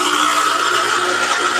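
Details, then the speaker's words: 23-year-old Grimac La Valentina E61 espresso machine, just plugged back in and switched on: steady even high buzz as the pump pulls water from the tank to fill, no sputter; healthy fill, earlier fault not reproduced. "Now we're going to turn it on. Now it's starting to fill. Right, that noise is the pump pulling from"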